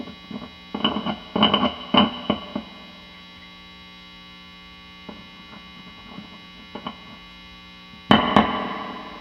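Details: Vintage Fender Telecaster neck pickup, all grounds checked, through a warmed-up amp at full volume: over constant mains hum, each light tap rings through as a thump; still microphonic, to be wax potted.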